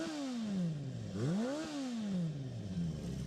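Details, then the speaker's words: Japanese four-cylinder bike with electrics gone through, carb seals done and freshly serviced: crisp revs climbing and falling smoothly through a free-flowing exhaust, no knocks or rattles; normal revving. "What a little machine, bit of Japanese engineering there. Fantastic. Absolutely wonderful."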